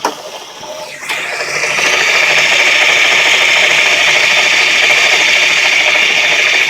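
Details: Worn bearings in a two-year-old 130 amp alternator with 20k miles: a harsh, fast ratcheting rasp, steady once up to speed, no low rumble, at its worst here. Crank pulley and tensioner suspected first but ruled out; alternator replaced.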